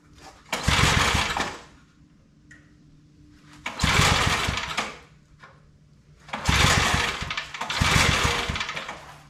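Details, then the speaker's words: Old Briggs & Stratton 5 hp wood splitter engine, started without choke after more fuel was added; fires for about a second, dies, refires in short surges, can't keep running. Spark checked present, plug carboned, so owner calls it a fuel problem. "Oh, she don't want to run at all."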